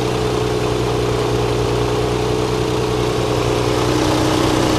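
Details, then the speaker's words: Nissan 300ZX after fixing a misfire: steady, even idle with smooth exhaust note, no stumbles; runs much smoother than before the repair. "wow that actually sounds a lot better like I'm not even kidding"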